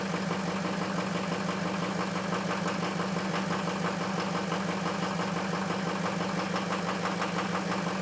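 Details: Ford F350 diesel cold start after a high-30s °F night, two bad injectors: rough cold idle with an uneven, loping knock about three beats a second.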